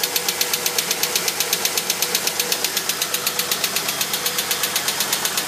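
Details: 1999 Holden VT Berlina wagon petrol engine at 200,000 km with a fast, sharp, evenly spaced ticking several times a second over the running hum.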